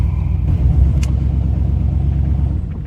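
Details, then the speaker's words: 1975 Chevy Monte Carlo runner just started: deep, loud, rough unmuffled rumble at idle; the exhaust needs work, and the idle is a little low and slow to come off high idle. "It doesn't sound good. It needs some exhaust on it."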